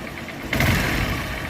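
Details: Honda motorcycle engine just refitted after gear-shifting trouble, silencer fitted and only two mounting nuts in, run at night: a quiet idle lifts into a short even blip and settles back cleanly with no knocks or smoke; a healthy normal idle.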